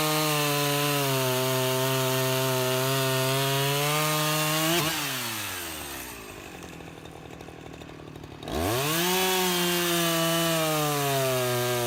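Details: Husqvarna 353 chainsaw restored from a basket case (gas line and chain drive repaired, carburetor freshly tuned), test cut: steady high two-stroke buzz sags as the chain bites wood, then returns to clean full revs; healthy, though the chain is grabby and needs readjusting or sharpening.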